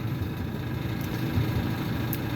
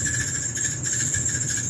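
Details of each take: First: Maytag Bravos XL gas dryer tumbling with a steady, fairly quiet low rumble and a faint spinning whir after the squealing idler pulley was replaced; the pulley arm was kept, and the owner is unsure whether a possible wobble is break-in. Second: Maytag Bravos XL natural gas dryer running: shrill steady squeal over the drum rumble, making a loud racket; worn idler pulley, fixed by replacing the idler pulley.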